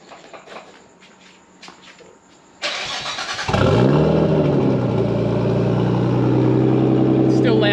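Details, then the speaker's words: Nissan Skyline exhaust after a large hole was repaired: starter cranks, engine settles into a loud, steady idle with even pulses. No more puffing from the mid-pipe heard while driving, exhaust now exits only at the back; sounds healthy. "the back but you don't have any of the crappy noise in the middle yeah cuz when I was driving it hear it fluffing"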